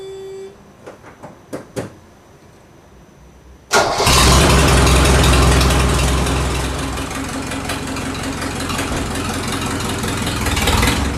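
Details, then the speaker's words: 1983 Mercedes-Benz 240D diesel, stored in a barn for years, with no exhaust fitted: it cranks a few seconds, then fires into a raw, very loud unmuffled diesel clatter at steady idle. The loudness comes from the missing exhaust. "now as you can hear the car was actually uh very loud much louder even than a 240D usually is the reason for that is there's actually no exhaust on the car that's how I got it"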